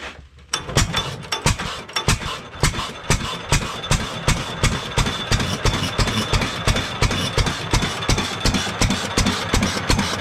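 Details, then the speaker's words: Restored 7.5 HP Fairbanks Morse single-cylinder engine with new adjustable governor linkage and throttle spring, set so throttle plate closes at full governor travel: slow, even firing about three beats a second, no surging or hunting; healthy governed idle. "I try to adjust it so when the governor is all the way out which is here the throttle plate is closed all the way I'll make it run nice and slow so I'll start it up and show you guys"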